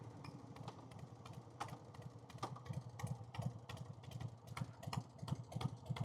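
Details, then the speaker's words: 1990 Harley Fatboy with S&S Super E carb: light ticking about three per second over a quiet, lumpy V-twin idle, seemingly from the front cylinder, which fouls plugs most. Top-end tick, cause unclear; rocker lockers planned. "Yeah. Hear that ticking at idle? Sounds like the front cylinder."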